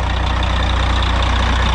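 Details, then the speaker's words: Truck being started to move for driveway space, idling to build air pressure before pulling forward, running on fuel dumped in the filter; low steady diesel clatter at even idle, regular firing, no misses; normal idle. "well folks she is live let's get this out of here once i build air pressure i'm just going to pull it forward let it run for a minute build some air"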